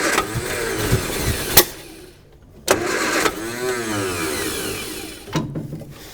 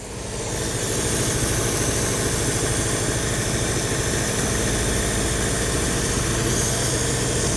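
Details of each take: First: 1955 Hudson Metropolitan barn find, dormant 28 years, rebuilt distributor with spark, new coil: starter winds engine in short whirring bursts but never fires; no-start from fuel starvation, starting spray used. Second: 1955 Hudson Metropolitan barn find, first run after 28 years, new coil: steady, even idle holding without hunting or stumbling, fuel pump possibly priming; normal idle.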